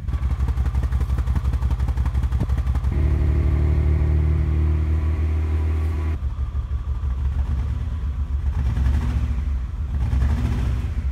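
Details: 1988 Acura Legend Honda V6, sat 10 years, already given new fuel pump, ECU, cap, rotor, plug wires and fuel filter: idles unevenly and labours on blips, rising reluctantly and falling back; rough running from clogged fuel injectors, before installing rebuilt OEM injectors.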